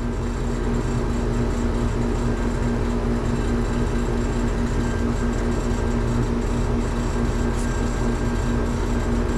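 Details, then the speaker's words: Residential AC condenser compressor with pressure climbing, giving a heavy, strained, droning hum under a constant rush; a refrigerant restriction is suspected at the clogged piston or liquid line dryer, with the piston icing. "pressure is climbing can you hear that compressor there is no reason why that compressor should be doing that"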